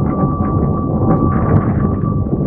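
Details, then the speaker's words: Wing foil setup while foiling: steady pure hum near 1.2 kHz over water rush, coming from the stabilizer; owner investigating why the stabilizer hums, with a blunt trailing-edge vortex suspected. "the stabilizer though it is kind of humming and that really made me wonder why could a stabilizer hum"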